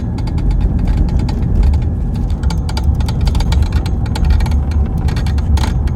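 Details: 2016 BMW 320d, rear-wheel drive, under acceleration: rapid uneven metallic ticks over low diesel drone from the center console, stopping off throttle; broken handbrake cable bracket let the cable hit the propeller shaft.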